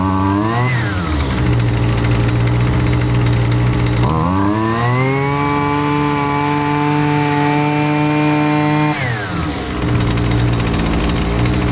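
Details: Husqvarna 128LDX two-stroke string trimmer, fixed after sitting unused: buzzy idle climbs cleanly to a steady high scream, holds, then drops back to idle without stumbling; healthy across the range.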